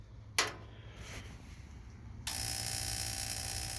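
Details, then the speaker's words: Auction kerosene heater run with its cover off: a sharp snap, then a steady high buzzing hiss as the spark igniter strikes. The heater then stops with a green light flashing. "So, you can hear some kind of a striker running."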